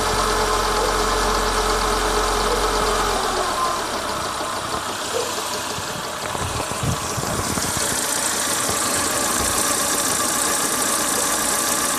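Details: Renault Logan engine knocking at idle: steady tapping about three per second, even with engine speed; timing belt found defective and scrapped.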